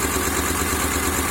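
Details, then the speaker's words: 2003 Honda Accord V6, first start after engine swap (previous engine had rod knock), oil seen in cylinders by borescope; uneven, lumpy shaky idle with steady stumble, flashing check engine light, a cylinder dead; misfire. "So presently the car is running, but obviously missing on some cylinders."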